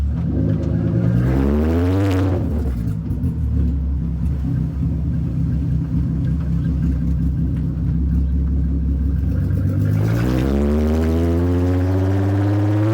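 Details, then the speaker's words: VW Caddy MK1 with a swapped-in VR6 3.2, on its first test drive with no exhaust fitted: a loud, raw open-pipe rumble as revs climb, hold and fall twice, pulling cleanly without knocks. Healthy revving. "Okay, maybe I got a little bit excited with revving it, but can you blame me?"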